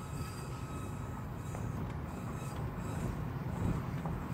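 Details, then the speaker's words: Car driving at night: faint thin high squeal over low road rumble when rolling to a stop and turning; owner suspects brakes. "it it does it when I turn and when I I think it's the break"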